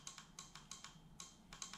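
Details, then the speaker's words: Relay being energized while wiring a Link Thunder ECU on a Lexus 3UZ V8 set up as a 1UZ VVT-i: quick, sharp, uneven chattering clicks, working only intermittently; bad relay contact, relay replaced. "now I can hear that clicking but my oh there it goes now it decides to light up"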